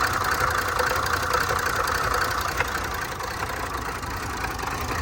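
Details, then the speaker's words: Range Rover Supercharged 400 V8 idling fairly evenly with a faint occasional stumble; slight misfire persists with fuel-trim code present and cam code returned; owner suspects fuel issue or pump/cam timing, unconfirmed. "طبعا التفتفة لسه موجودة بحكم الكود حق البنزين اكيد، الا لو لا قدر الله في مشكلة في التقسيمة، لانه هذه ماكينة السوبر 400 لها تقسيمة الطرمبة مع تقسيمة التامن."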